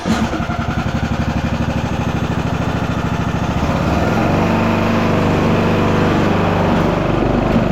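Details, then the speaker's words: Craftsman YTS 3000 (2009) lawn tractor, 21hp Briggs and Stratton single-cylinder, test ride after fitting new 90 in, 1/2 inch drive belt: engine pulls steadily, drive smooth and even, no lumpy thumping as before. "That's much better."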